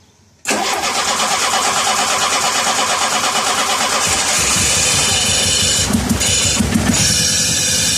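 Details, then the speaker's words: 1985 Shelby Charger, fuel lines re-routed and the pump primed, with a line popped at the fuel rail: the starter cranks briefly, then the engine catches and settles into a rough, busy idle; it runs but leaks. "Feel it. It runs. It leaks. But dude, it runs."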